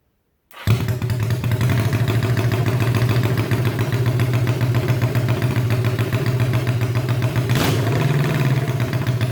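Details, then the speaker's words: Honda CB350 basket-case twin, open pipes; strong, even twin beat, firing cleanly on both cylinders and taking revs without a stumble. Normal running. "I just had a combination of just a few little wires I just had some wires around no big deal and now it's running just awesome"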